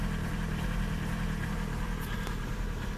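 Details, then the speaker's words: Old VW TDI 90/110 hp rotary injection pump diesel, cold engine in rain: heavy, uneven, deep rumbling idle, very rich with diagnostic showing 0 mg quantity reading, too much fuel set on the pump adjuster. "dawka 0 miligram bardzo bogata"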